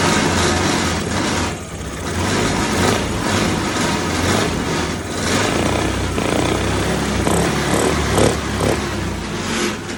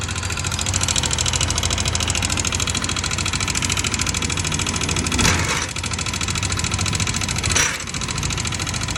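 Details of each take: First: Yamaha Aerox 155 scooter after replacing rocker arm to cure engine tapping noise: smooth, slightly wavering idle with no top-end ticking; valve gear now quiet and healthy. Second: Yamaha Aerox 155 scooter, noisy engine, still ticking with the CVT cover removed: busy, rapid, sharp metallic ticking over a steady idle up top; worn, loose exhaust rocker arm bearing chattering in the valvetrain.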